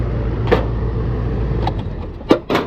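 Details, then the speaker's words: Old AC condenser unit, condemned by another company, powered on: a steady low hum with no start-up surge, plus a few sharp handling clunks. The compressor won't start and is stalled on a locked rotor. "Doesn't sound good at all. Lock rotor, lock rotor. Lock rotor, lock rotor. Tell you right now, it doesn't come on."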